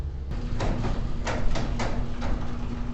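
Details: Commercial warehouse garage door with spring assist, rechecked after lubrication, closing: low even rumble with a few soft periodic shakes, no scraping; slight shimmy likely from the springs doing their job, acceptable.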